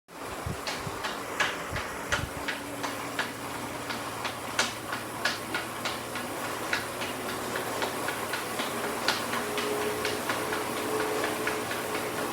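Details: Elite Direto 1st series trainer makes sharp, light, somewhat uneven ticks at roughly 85 a minute over a soft whirr; the cause is unclear.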